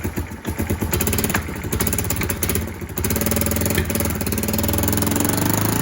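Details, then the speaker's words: Kawasaki KLF300 Bayou 4x4 ATV after swapping spark plug, cable and coil: uneven single-cylinder thumps with sharp pops that settle slightly; fuel now igniting in the exhaust (afterfire), whereas before it backfired through the inlet. "That's actually igniting in the exhaust. That's not a backfire. It was a backfire before."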